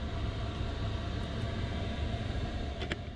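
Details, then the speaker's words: 12 V 5 kW eBay diesel air heater installed in a caravan, controller on the wall, running on high with the bed closed down: steady, even rushing roar from fan and burner, no surging or misfire; works very well. "I close the bed down and there we have it it's on high works very well guys really really well"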